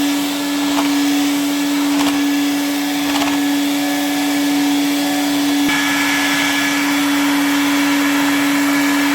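Smooth, steady motor roar with an even mid-pitched hum and no rattles or bearing growl; the vacuum is running healthily.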